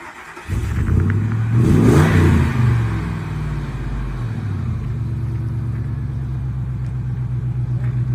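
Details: Ford Expedition V8 after fitting shorty headers to cure an exhaust leak: deep burble rising on a quick rev then settling to even idle, no manifold ticking; exhaust sounds sealed.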